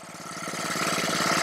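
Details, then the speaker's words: Honda-powered Ryobi 3100 PSI 2.5 GPM pressure washer that won't stay running, just started: rapid even firing climbing slightly but only keeps running on choke; owner suspects a carburetor problem. "yeah so this thing oops seems to be running on with the choke so you definitely know we have a carburetor issue for sure"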